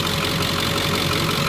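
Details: Ford diesel truck at 237,559 miles, heard with the hood up; steady, even diesel clatter at idle with no separate knock or tick rising above the run, a normal idle.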